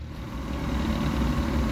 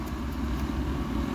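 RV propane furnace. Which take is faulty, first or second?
second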